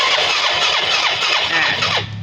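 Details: Yamaha Fino scooter with black smoke, carburetor already serviced: starter spins the engine at an even cranking rhythm without firing while spark is checked; weak spark traced to a damaged, cut spark plug cap.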